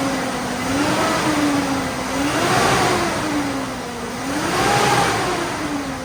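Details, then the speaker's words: GMC Yukon V8 after installing a new AC Delco 15-4694 fan clutch, several blips in the garage: rises and falls smoothly, no fan roar or drag, garage echo; normal. "so it still sounds loud in the garage but uh the engine feels a little bit more clear"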